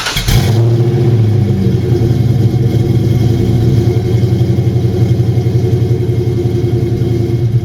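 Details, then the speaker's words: New Edge SN95 Mustang GT 2V V8 with Howard's Rattler cams, MAC long tube headers, off-road H-pipe, cat-back and cold air intake, cold start: loud choppy loping fast idle from the cams, running healthy. "it's the Rattler series I believe and so that cold start you can actually hear the cams and it sounds pretty good"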